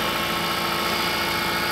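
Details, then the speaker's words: Harsh, dry engine clatter right after a -40°C extreme-cold start; oil has thickened and, with the radiator fluid, must circulate until the engine warms, so it runs nearly dry meanwhile (cold start dry engine noise). "tá só ferro seco sem óleo óleo não congela não pô is ele fica ele fica tipo endurece"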